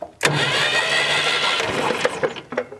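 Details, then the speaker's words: 1965 Datsun 320 pickup, sat abandoned over 30 years, cranking evenly but never firing: points open and close yet no spark reaches the plugs; something is grounding out, possibly a newer wire chafing. Crank, no start, no spark. "they're definitely opening and closing they ain't sparking though but we're still sparking here something's grounding out"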